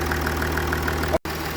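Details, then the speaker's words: Jaguar XF S 3.0 diesel, after fixing a tapping/chuffing noise and under-bonnet smoke with new injector washer: even diesel clatter with light regular tick, no chuffing leak; normal idle after repair. "That sounds alright, though, That's 100% better. I think that's fixed it. All the pissing has stopped."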